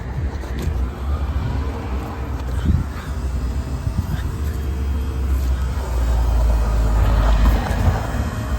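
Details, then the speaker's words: BMW engine swapped into a Ford Transit, started in gear: catches and settles into a steady, even low rumble with no knocks or misses; sounds healthy, though it has intermittent hot-start problems. "Oh. Sounds good. I didn't know that's what it was."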